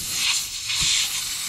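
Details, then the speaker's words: 2006 Ram 2500 5.9 Cummins with high EGTs, low fuel economy and power loss, engine off and intake pressurised with a boost leak tester: a loud steady hiss from a boost leak at a loose intake boot clamp. "that's a huge leak oh my gosh well yeah i have a blue sleep there it is oh my gosh well i'm gonna loosen this up let's see if i can get that sealed"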